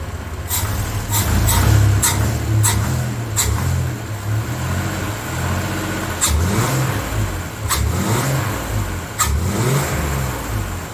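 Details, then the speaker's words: 1993 Chevy S10 Blazer after engine install, low on coolant, EGR pulled: engine blips up and drops back to idle cleanly with no knocking; runs healthy. "At least it ain't knocking, right? Yet. No!"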